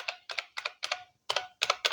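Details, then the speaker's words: IBM PS/1 Model 2011 (1991) with mechanical IBM Model M2 keyboard: about eight crisp, sharp buckling-spring clicks in two seconds, no mushy or dead keys; normal key clicks. "the classic clicks when you press the key, like the IBM Model M - I purchased later, but unfortunately it didn't work: it had some keys that didn't work."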